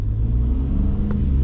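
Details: Gen 2 Ford Raptor accelerating after both cam phasers were replaced and a fresh oil change, no check engine light: deep even rumble building smoothly with no ticks, rattles or stumbles; healthy.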